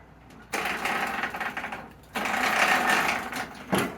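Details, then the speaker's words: Briggs & Stratton 205 cc engine on a parts snowblower running in rough uneven bursts with rattly chattering clatter from the gear case underneath; previous owner says missing screws cause the noise. "yeah there's something going on in the gear case underneath which is totally fine because that's the part i was gonna have to disassemble anyways"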